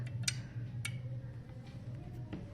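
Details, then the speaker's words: Clothes iron heating up as its bimetallic strip thermostat lifts off, cutting and restoring the current. A few sharp, dry clicks over a low room hum, which is normal. "so when it heats up it starts to lift off and you can hear the clicking sound so this comes when the circuit is uh disconnected or connected back"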